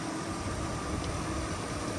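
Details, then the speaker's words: 2001 Chevrolet Silverado 3500 dually 4x4 with 8.1L Vortec big-block V8 and 57,957 miles, idling under the hood; steady, even, smooth and quiet hum with no knocks, misses or ticks; normal idle. "Can't sound any smoother and any quieter than this."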